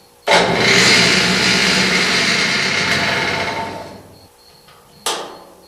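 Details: Vintage Atlas table saw, rebuilt from two worn saws, first start after reassembly. Motor spins up sharply to a steady, even whir, then coasts down smoothly and restarts cleanly; saw runs healthy.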